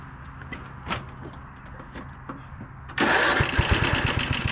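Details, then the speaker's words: 1997 Craftsman II 30" rear-engine riding mower, 13.5 hp Tecumseh engine, second test run after electrical and tire repairs: fires and settles into a steady, even beat, no clatter or shake; mows great, quiet, no vibration. Normal running. "yeah I know it probably doesn't look like much but this thing Ms great it's nice and quiet there's no vibration"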